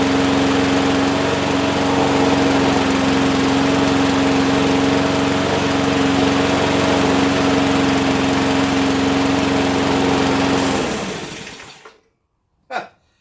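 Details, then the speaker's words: Abandoned Huskee XT650 that sat in a yard a year or two, started on just gas with its self choke, no starting fluid: steady, even single-cylinder drone with no misses or surging, then clean shutdown; running healthy. "See, it should start on just gas. No starting fluid. It's got a self choke on it."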